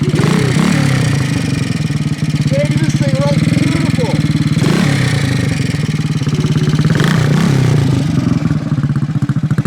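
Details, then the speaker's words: 1968 Harley-Davidson (Aermacchi) 250 Sprint single, complete frame-off mechanical restoration, after stone-cold start: crisp, even thump revving cleanly and settling back without misses or rattles; sounds like a little road racer, normal running. "Sounds awesome. Sounds like a little road racer. Sounds freaking awesome."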